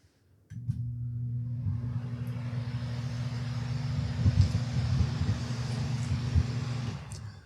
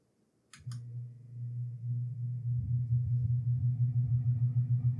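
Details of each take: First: Circular fan, 3–4 month old replacement used as reference: smooth, even low hum under steady rush of air, no rattle, tick or wobble; healthy full-power running. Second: Lasko Wind Tunnel fan after cleaning and reinstalling the shaft into the motor: low motor hum builds slowly with a throbbing pulse about three a second; noisy, weak and slow to reach full speed; owner suspects faulty shaft installation or burnt-out motor.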